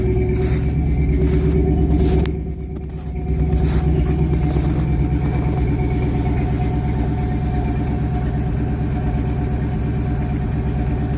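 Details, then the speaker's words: 1971 Ford F100 Explorer with 302 V8, all original paint, cold start: steady, even burble with a low rumble and no knocks or ticks, settling smoothly; normal idle. "she's got the Explorer package all original paint runs like a top isn't that something else"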